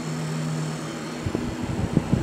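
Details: Fan running on battery backup during a power outage: a steady low drone with some uneven knocks toward the end; the fan sounds noisy, possibly from its bearings, though the cause is uncertain.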